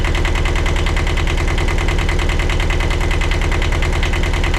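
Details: 1982 Catalina 30 small marine diesel, after replacing the blocked exhaust manifold that caused poor cooling-water flow, with thermostat and water pump refitted: steady, regular chug at a constant idle speed with no knocking or stumbling. Running smoothly.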